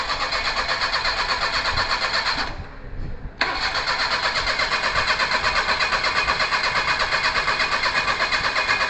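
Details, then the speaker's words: Perodua Kancil after a carburettor change, with coolant, engine oil and gear oil checked: steady starter churn at about three beats a second, a short pause, then more cranking that never catches; it cranks but won't start. "Okey, kalau dia tak hidup macam ni, senang je. Kita ambil W40."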